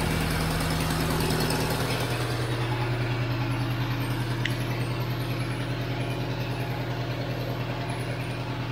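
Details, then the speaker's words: 2001 Chevrolet Tracker with RHZ diesel, losing power: steady, slightly fast and loud idle with even rhythm settling a little lower, running with EGR valve and mass airflow sensor unplugged, started to check fuel pressure. "vai fazer um barulhinho maior tá E ela tá um pouco acelerada porque eu tô com ela sensor de massa de ar você Tá tudo desligado"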